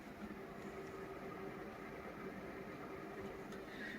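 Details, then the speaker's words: Alienware Aurora R6/R7 PC with stock fans, thermal paste already reapplied but still loud and hot with a very hot GPU: a steady airy whoosh over a low constant hum; loud cooling fans before they are swapped. "I fixed some of the noise issue by reapplying the thermal past but uh it still makes a bunch of rocket and it also is hot"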